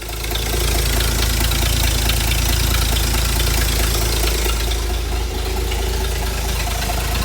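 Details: Ford inline six (possibly a 265) in a Hobart APU cart, sat 8+ years, now running on its own after a new battery and a rerouted fuel line; low steady rumble, fairly even idle, no misses.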